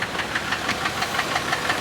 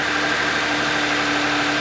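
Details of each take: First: Used car with almost 146,000 miles, just driven to the lot, burning-plastic smell noted: sharp metallic ticking about six times a second over the idle, possibly an engine knock; cause suspected, not confirmed. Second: Used car with nearly 146,000 miles, cold start, earlier engine noise suspected to be timing chain; smooth even idle hum, steady pitch, no ticking or knocking; sounds healthy.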